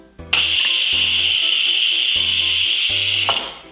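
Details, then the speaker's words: Instant Pot Duo quick release of pressure, valve turned from sealing to venting: a sudden loud, steady steam hiss for about three seconds, then tapering off. Normal venting; turning back to sealing calms any spurting. "And at any point, if stuff starts spurting out, especially if you have like lots of liquid in here, if you're doing a soup or if you have a lot of food, you can just put it right back to sealing and it will calm down for a second."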